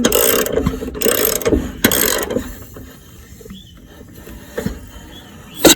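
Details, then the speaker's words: Seized lawnmower engine after treatment with penetrating spray, spark plug reinstalled but disconnected, no gasoline: short bursts of dry ratcheting clicks as the blade is rotated by hand; the engine turns through freely and is no longer seized. "All right, so when I put it back, so that thing did the job. It loosened up."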